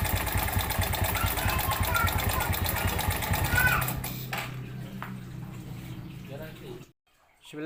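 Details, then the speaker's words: Suzuki Smash 110 motorcycle, rough-sounding and lacking power before repair: harsh, clattery running with a rough rapid rattle about three per second over the engine note. "hari ini kita kedatangan Suzuki Smash 110 di mana kondisi permasalahan seperti yang kita dengarkan di awal Tadi suaranya kasar jadi kita akan menganalisa apa yang menjadi faktor utama Suzuki Smash 110 ini suaranya kasar"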